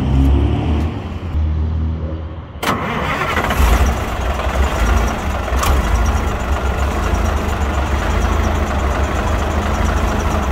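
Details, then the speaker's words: 1965 Mack B Model fire truck with old Thermodyne diesel engine, which has a lot of blow-by from a hose; a few seconds of slow cranking, then catches cleanly and settles into steady even low rumble: starts and runs well. "i'm gonna crank it up and also let you see the blow-by coming out of this hose and i think you'll see it does start and run very well"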